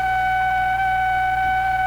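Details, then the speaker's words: Hammarlund SP-600 receiver, fitted with a 5U4 in place of the specified 5R4 rectifier, brought up from 80 V on CW with no antenna: a steady mid-high whistle over a faint hum that shouldn't sound constantly; cause not yet found. "it's kind of a bad sign you shouldn't be making that sound all the time yeah that was a little unfortunate but okay we'll get to that eventually"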